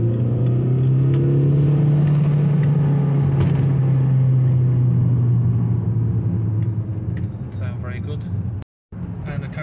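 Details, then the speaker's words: Volkswagen Passat diesel on a test drive: the engine drones under hard acceleration, and rough scraping bursts come from underneath on lift-off and above about 40 mph. The loose plastic undertray, missing screws, is rubbing and was tied up. "not too sure what that noise is at a minute sort of scraping those underneath is just some of the screws missing from the plastic undertray"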